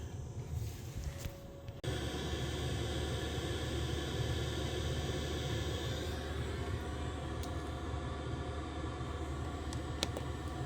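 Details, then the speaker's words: Diesel heater that threw E08, running at half power, not fully ramped up, burner and fuel pump going with heat coming through: steady low roar with constant fan and burner hum, no surging or popping; normal part-power running. "Yeah, there's heat. Not a lot yet, but it's not ramped up fully yet. So we can see it's only half powered up."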